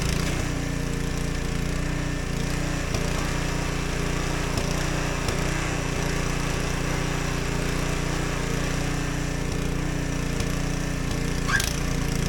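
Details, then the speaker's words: Husqvarna ST124 24-inch snowblower, 212cc engine, before the fix, surging and popping: steady run with irregular exhaust pops; factory-lean fuelling from a clogged governor jet. "You can still hear the popping noise. When I first purchased this Husqvarna snowblower at the factory, they make these really lean when burning fuel."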